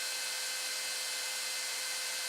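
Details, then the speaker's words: AMD CPU heatsink fan cooling a 24 V to 12 V buck converter in a 3D printer enclosure: loud steady airy hiss with faint whine, the main noise source; to be replaced with a quieter 80 mm fan. "that's what's making all this noise without that fan it's quite quite in here"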